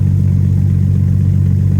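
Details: Jeep TJ after 15 years sitting, idling while warming up to test the thermostat with a dry radiator: steady, even low idle with a faint light tick, which the owner calls typical of these engines.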